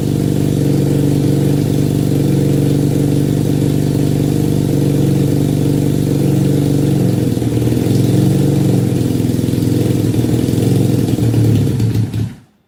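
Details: 1968 Honda CL175 with supercharger (300cc blower on 175cc engine), first start in 30 years after kick start, powered from car battery, ~92°F garage: fast uneven pulsing idle (~four surges/s) then shuts off; owner suspects vacuum leak, carb jetting or oversized blower.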